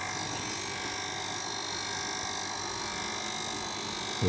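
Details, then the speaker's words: Sanyo water pump after impeller removed and refitted, hand over suction pipe with no priming water; steady electric buzzing hum with no water churning and no suction; pump running dry, not primed. "untuk mesin Sanyo biasanya kalau kita tekan seperti ini di pipa hisap tanpa kita kasih air di pancingan dia enggak bakal kesedot tangan kita"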